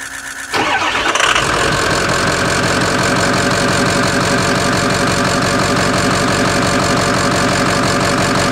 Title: 2005 6.0L Powerstroke misfire